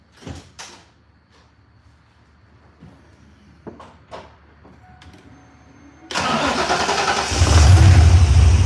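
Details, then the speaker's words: Warm restart shortly after the engine was last run: a brief starter whirr, then it catches instantly and settles into a steady low idle. Normal warm start. "okay now that's a normal start because we had just started it up"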